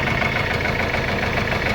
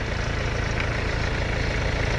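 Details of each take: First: Mercedes-Benz CLS W218 diesel at idle with a hard, dense knock on every firing that follows revs even with light throttle, oil level and condition fine; engine knock traced to loose oil pump bolts. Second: Mercedes-Benz CLS W218 after repair of engine knock, after a long test drive at operating temperature; steady, smooth idle with no knocking, engine normal.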